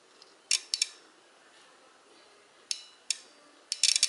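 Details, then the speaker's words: Lawn tractor operator-presence relay bench-tested on a tractor battery with alligator test leads: several crisp clicks as power is applied, the relay energizing normally; this is the good relay. "And then when you connect the other side and add power to it, you can hear the click."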